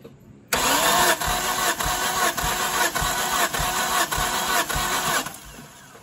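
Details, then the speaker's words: Turbo Hyundai daily after a loud pop at the track, compression retest on cylinder 2: even cranking about three pulses a second, reading matches cylinder 1, healthy. "That's the same as number 1 now. Right at the same spot."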